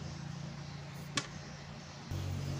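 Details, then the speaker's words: Polytron active speaker after repairing a secondary voltage drop caused by a faulty TDA amplifier IC: a click, then a steady low buzz from the speaker when the input is touched, with no squeal; the amplifier passes sound again. "Jah ini suaranya sudah muncul teman-teman ya"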